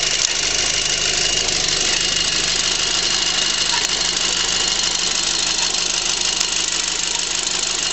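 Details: 2006 VW GTI idling steadily with a sharp chirp, like a turkey call, every couple of seconds from the passenger side of the engine, over a hissy background; source unknown.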